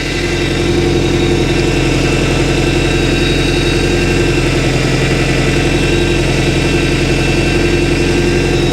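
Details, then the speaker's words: Boat engine warming up (thermostat not yet past 160) while steering is worked back and forth: steady idle with faint constant power steering pump whine; fluid found low and frothy, leak suspected. "So I'm going to start recording on this, and I'm going to work the steering back and forth. I can hear the pump whining a little bit."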